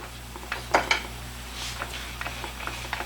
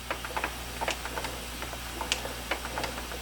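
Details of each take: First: 1986 Mustang GT, replacement low-mileage (75k original miles) World Class T5 transmission rocked by hand: soft scattered clunks of normal gear lash, without the sharp click of the old T5's suspected chipped gear tooth. Normal backlash. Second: 1986 Mustang GT T5 transmission on a bench, turned back and forth by hand in first gear: irregular light clicks at one spot, the same sound heard in reverse on jack stands. A chipped gear tooth is suspected, not confirmed.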